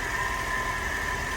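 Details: Mercedes SL55 AMG, supercharged M113K V8, after conversion from ABC suspension to coilovers, first start since installing a customer-supplied power steering pump: smooth idle with steady supercharger whine, no pump or pulley squeal; normal.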